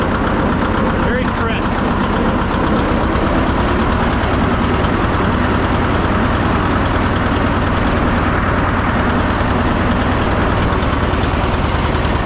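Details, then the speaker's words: John Deere 730 two-cylinder tractor throttled all the way down to low idle: slow, loping beat that hops between firings but stays steady overall. This is the healthy sound expected of this engine. "Let's see how low it idles all the way down. And it's hopping. This what you like to see."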